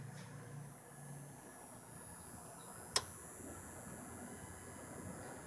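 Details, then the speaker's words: Stereo powered from a non-pure-sine-wave inverter, phone held right up to it in a quiet room: a faint, steady buzz and high whine from the idle speakers with one sharp click, suspected to be caused by the non-pure sine wave output. "hear that buzzing that must be because it's not a pure sine-wave"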